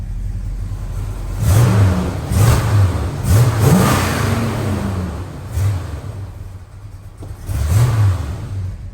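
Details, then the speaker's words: 1971 Dodge Charger R/T 440 big-block V8, warm after its cold start. A deep burbling idle with several quick throttle blips, pulling up cleanly and dropping back with no misfire or popping. Normal revving exhaust note. "let's get you a nice exhaust note now this car has probably one of my favorite exhaust notes out of all the big blocks we have uh so let you take a listen"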